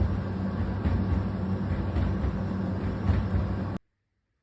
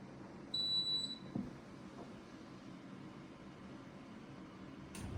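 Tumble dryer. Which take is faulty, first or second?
first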